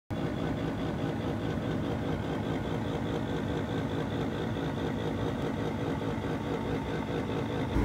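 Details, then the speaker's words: Ford Fiesta ST150 heater blower at high fan speed: constant coarse rumbling grind under the cabin. The resistor pack had blown again, leaving only speed 4 working; the cause was shot bearings in the blower motor. "what's going on guys it's winter and in typical fashion the fiesta's got a problem with the heating"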